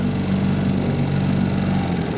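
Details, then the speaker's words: 1958 Johnson CD-15 5½ hp outboard, 8.84 cu in two-cylinder with pressure-tank fuel system, rebuilt with new coils, carb kit, fuel lines and impeller: slow, even, low putter with steady beat and no misses; normal smooth idle, barely turning over. "they really idle beautifully you can hear this guy just ticking over here or barely even moving and it'll do this pretty much all day"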